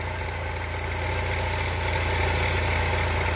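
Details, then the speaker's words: 2003 Chrysler Sebring 2.4L after replacing alternator and power steering belts and tensioner pulley: steady even idle with smooth low hum, earlier whistle gone on its own, AC made no difference; normal idle. "and the noise pretty much went away on its own didn't seem to make a difference hooking the ac on"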